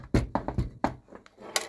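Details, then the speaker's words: CUBI-SPOT 70W R7s metal halide floodlight during disassembly: irregular hollow clicks and clatter as it is tipped, from a piece left inside the housing that rattles loose. "On l'entend le morceau qui est resté dedans quoi."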